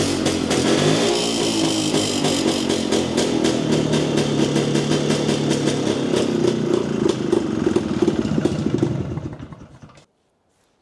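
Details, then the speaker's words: Jawa 250 two-stroke, first start after opening the engine for heavy smoking after a dyno run (gasket failure suspected): catches and runs at a rapid, slightly uneven crackle with some clatter, then cuts out; still smoking somewhat. "Laitetaanhan se käyntiin ja katotaan mitä tapahtuu. Pitäis se nyt toimia."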